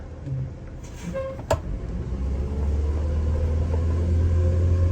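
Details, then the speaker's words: Prevost bus with Detroit Diesel 8V92TA DDEC2 after new injectors cured the surge, accelerating from a stop in drive: deep diesel rumble building smoothly with no stumbling, a bit slow off the line but pulling well; normal acceleration. "It's definitely better than it was. Some get up and go now. Yeah. We'll slow off the line a bit. It gets there though."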